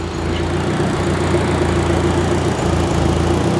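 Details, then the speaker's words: Turbo K24-swapped Subaru BRZ at first startup, fully warm while bleeding coolant, hoses hot; steady idle with even hum and constant whoosh from both radiator fans kicking on; warm idle with both radiator fans running, healthy. "F fan two just cut on that's good so we got both fans running that's a good sign that's a very good sign she runs hell yeah brother"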